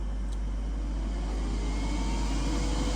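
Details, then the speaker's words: Donkey Stomper 800HD-HG-8 pill CW radio transmitter (amplifier), tested after repair: a constant loud droning whoosh over a low hum that never changes in pitch or level. An aftermarket cooling fan the builder didn't install runs very loud. "I didn't put this fan on it. I couldn't ever handle it, but it does move there. Man, it's loud."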